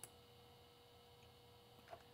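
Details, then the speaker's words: PowerBook 165c hard drive: faint crisp ticks about two seconds apart over a low hum; owner asks whether the heads parking this often is normal. "it sounds like my hard drive head is parking a lot is that normal"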